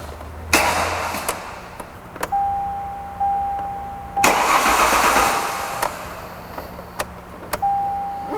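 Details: 1998 Ford Contour no-start: two short bursts of starter cranking with a chime between, engine never fires; fuel pump relay is commanded on, but the tank is empty, so it has no fuel.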